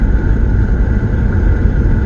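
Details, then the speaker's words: Jeep Liberty 3.7 L V6 (possibly 2004) driving after replacing two spark plugs with carbon tracking from water intrusion: steady, even engine drone with no misfire. "there were two that had that condition i replaced it and boy this little car runs good now runs really good"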